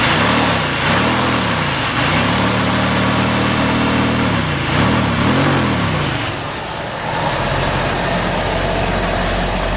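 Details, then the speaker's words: 1972 Ford truck V8 after fixing loose driver-side spark plugs that owner thinks let compression blow out so it ran on one bank; even low burble, revs rising and falling a few times then settling; smooth, no misfire, normal idle. "sounds much better than yesterday I've also figured out that when I got stranded it lost um the spark plugs on the driver's side really loose"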